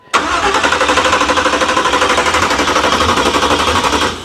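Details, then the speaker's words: 383 stroker Monte Carlo SS, first start attempt with the electric choke not yet hooked up: the starter cranks at about three compression beats a second for four seconds and never catches, with the carb bowls looking empty of fuel. "Okay, so good news, it is cranking. We don't have the electric choke hooked up either."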